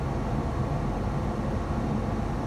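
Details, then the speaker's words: Foton Tunland double cab 4x4 2.8 ISF diesel, blower fan after DIY repair (previously worked only at maximum speed): now runs at speeds 1-4, with a huffing sound from speed 2; steady air rush, no rattle. "Off. 1, it's blowing. 2, the huffing sound starts. 3, and then 4."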